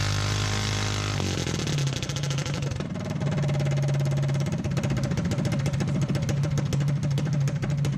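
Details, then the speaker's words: Small single-cylinder engine for a Motovox mini bike, governor and low-oil sensor removed and stage 1 kit fitted, sustained at about 5,800 RPM: steady high drone with a fast, even buzz, no stumbling or valve float. A normal, healthy run. "I love that sound. Alright, so we saw about 5,800 RPM sustained without hearing the valves float. I'm happy with that."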